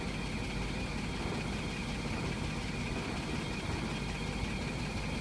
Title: LC rattle/vibrate noise